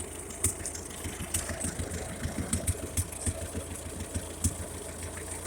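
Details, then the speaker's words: 1956 Ferguson TO-35 tractor after replacing the fuel-dumping carburetor with a cheap one and making a new governor linkage; steady, fairly even low idle with regular beats, no knocking, running well, though an exhaust leak pops at the manifold. "with that new carburetor on there i didn't know how it worked without cheapo car but seems to be working pretty good"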